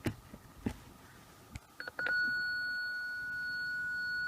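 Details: BMW E46 Touring, ignition on, engine off, reverse gear engaged: a single steady mid-pitched beep lasting about five seconds instead of pulsing, flagging a faulty parking sensor; the one with no or weakest clicks should be replaced.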